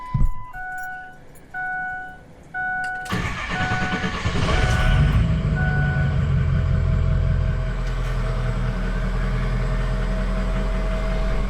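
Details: 6.0 Powerstroke diesel just after flashing an SCT BX tune (truck possibly tuned before): dash chimes, brief crank, catches and settles into steady even diesel clatter with no odd knocks; normal start and idle, no louder than before.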